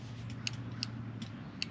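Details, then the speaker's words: Ford Fox Body fuel injector wired to a battery for bench cleaning, one the owner suspects is bad: sharp, crisp single clicks each time power is applied over a faint hum; the injector solenoid is opening properly. "I'm actually going to start with the ones I think are bad you can hear it click"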